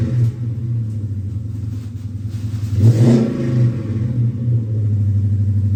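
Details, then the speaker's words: 2011 Dodge Charger R/T fitted with a running 2010 R/T donor engine, long tube headers and a 6.4 intake, freshly started: a deep V8 burble with a clean throttle blip and no knocking; it runs really well even as the belt self-destructs. "so it definitely sounds good runs really good I haven't had it running very long but everything seems great"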